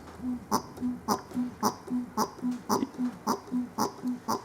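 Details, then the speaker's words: Land Rover Series 3 petrol mechanical fuel pump: rhythmic squeak-and-click several times a second as the hand priming lever is worked. This is the normal sound of the pump drawing fuel and pumping it up to the carburettor. "can hear a squeaking noise so by doing that what I'm doing is I'm actually able to pump fuel up to the carburetor"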